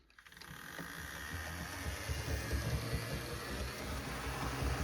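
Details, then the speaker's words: HO scale GP60M model locomotive (Warbonnet unit) on test track under power: low rough grinding rumble builds as the motor spins up, noisier than the other unit; owner suspects a wire grinding in the drivetrain, unconfirmed, wiring to be redone with new decoder. "This thing is for sure noisier than the other one. It sounds like we may have a wire grinding on something in the drivetrain."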